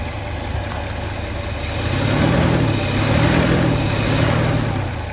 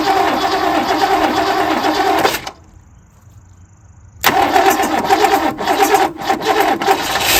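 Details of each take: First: 1967 Lincoln V8 just restarted after valve lifter replacement, lifters now pumped up: deep, even idle with a steady low beat and no top-end ticking; sounds healthy, though a quieter lifter noise remains on the driver's side. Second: 1967 Lincoln V8, first start after replacing a valve lifter and reassembling the engine: rapid sharp ticking over the idle, briefly dying then returning, as lifters clatter until they pump back up with oil.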